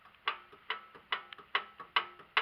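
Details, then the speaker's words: Land Rover Discovery 3/LR3 rear hub being rocked by hand during disassembly: sharp metallic clicks in a steady back-and-forth rhythm, showing play in a worn rear wheel bearing due for replacement. "so that's bad that means that there's play in the wheel bearing the wheel bearings worn out"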